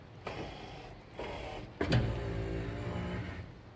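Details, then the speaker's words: 1969 Chevrolet Chevelle SS 396 tribute, power windows with many new motors and lubricated tracks: steady low motor hum, no grinding or hesitation, front and rear windows travel fully up and down; healthy. "just want to show you this cool out of these power windows don't whoops sorry I got them back here go all the way up and down very nicely slip across this other side pass in your window that's the rear one go nicely they work"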